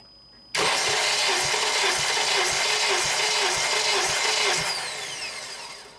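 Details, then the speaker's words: 2007 Honda Accord EX sedan, 2.4L K24, compression test on cylinder 4 with plugs out, injectors disabled and throttle wide open: fast, even starter whir pulsing about twice a second with no firing; reads about 182 psi. "But first, let's go ahead and test number 4. Okay, wide open throttle. Go ahead and crank"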